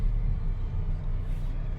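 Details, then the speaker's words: Mitsubishi Xpander after engine support mount replacement, test drive: low steady rumble with no knocks, clunks or shudder through the blip; engine pulls smoothly again. "isa pang pitik okay na okay okay na smooth na ulit"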